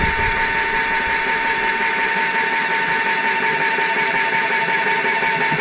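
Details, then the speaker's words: Graco 390 PC airless sprayer after a not-priming fault, fixed by tapping the seat with a hammer and refitting the suction hose: even motor hum with quick pump pulses near three strokes a second. Now priming normally. "We have priming. So there you go."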